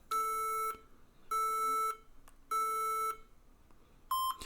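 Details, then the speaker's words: HP ProBook 640 G3 laptop on charger at power-on beeps three long then two short, repeating unchanged, the POST code for a memory error. "3 long ones and 2 short ones. And it does that all the time. There is no change."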